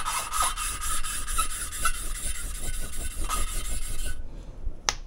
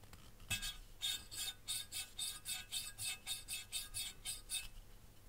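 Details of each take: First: Mercedes OM 646 821 cylinder head, lapping a valve with abrasive: soft rhythmic rustling rasp, nicer as abrasive breaks finer, then stops; valve seat lapped in smoothly. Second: Mercedes OM646 cylinder head during valve lapping: rhythmic rough scraping or rustling strokes about two a second as the valve turns on a seat not yet lapped, compared with the first intake valve on cylinder two.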